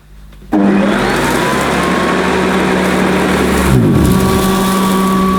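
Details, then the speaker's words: Hoover Decade 80 upright vacuum with newly fitted belt, on shag carpet setting: motor whines up, then pitch sags as suction pulls the carpet up and stalls the agitator brush. "well I think I've got a little bit of a problem here because the suction power is so high it's pulling the carpet right up even on shag mode and it's stalling the brush at what's going slow"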